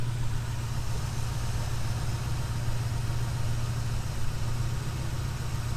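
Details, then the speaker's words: 1968 Ford Mustang, pre-purchase inspection, first start from cold, engine cool to the touch: steady, even low rumble at idle with no misses, knocks or ticks; smooth, healthy normal idle. "right so as you can hear the engine still sounds pretty smooth"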